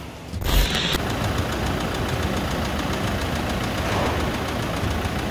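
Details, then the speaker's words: Toyota SW4 2017 with 2.8 1GD diesel that ingested water and dirt through the intake, idling after washing and new filters, diesel and oil: steady hard knock over the clatter from worn bearings. Cleaning failed; engine condemned. "mas o motor está condenado mesmo, ó. Escuta. Vamos, ó a batida do motor."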